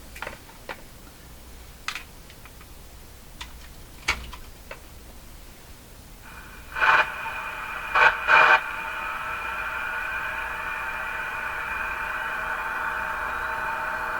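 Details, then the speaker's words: General Electric KL60 tube radio after an open plate resistor on the 6SQ7 tube and two other resistors were replaced, with the phono button released: a few tuning clicks, then steady hiss with clear tones and the earlier hum gone; receiving normally. "Okay, we don't hear that hum anymore. That sounds like a radio."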